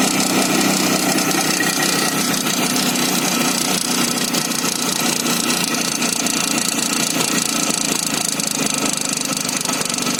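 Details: Izh Jupiter 5 two-stroke motorcycle running fast with a rattly, uneven tapping about four times a second over the buzz; knocking from inside the engine, cause unclear.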